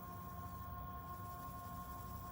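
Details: Wood lathe turning a dried black acacia bowl. Quiet, steady hum with a constant tone and no thumps or wobble per turn; the bowl runs true and round. Normal running.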